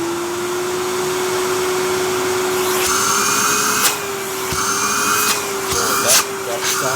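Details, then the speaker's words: Vacuum turned up from half to full power: steady, clean motor tone climbs slightly and holds even with no rattles; sounds healthy, normal running at full power. "That sounds healthy."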